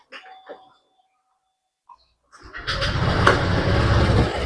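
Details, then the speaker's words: Honda Vario 125 scooter engine with the CVT pulley removed during CVT servicing, idling evenly and steadily with no stumbles or misses; engine sounds healthy, no engine problem. "Suara mesin yang bagus seperti ini saja. Nah, ini suaranya mulus enggak ada nyandet-nyet."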